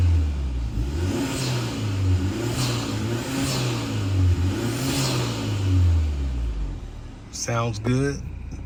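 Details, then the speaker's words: Hyundai Sonata N Line after installing HKS M45XL spark plugs, revved in place after start: engine spins up and settles back cleanly, pitch rising and falling evenly with no stumble or misfire; healthy revving. "Doesn't seem to be misfire or anything."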